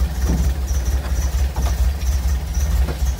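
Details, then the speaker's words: 1962 Volvo Amazon, first start of rebuilt B20 with SU HS6 carburettors, new exhaust downpipe, warming up after spark timing adjustment; low lumpy uneven idle around two chuffs a second, barely holding idle, rough idle. "we're barely idling so let's see what happens"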